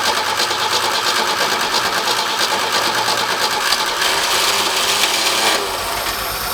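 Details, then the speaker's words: Forklift engine after fitting a replacement carburetor and new muffler, choke not hooked up, being revved: busy clatter builds then falters and drops back; stumble under acceleration, more tuning still needed. "Feel it. Hear it stumble. Back it off. Honestly, there's more work to do than that to get this thing running the way it needs to."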